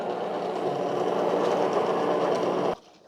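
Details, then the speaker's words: De'Longhi TrueBrew CAM51025MB coffee maker shutting down after being switched off: a 20–30 second flush that runs water into the dirty-water tray. About three seconds of even whirring with faint rapid ticking that stops cleanly; normal shutdown cycle. "you'll hear water running it's kind of flushing out something and putting more water in the dirty water it's kind of a process takes about 20 seconds 20 30 seconds"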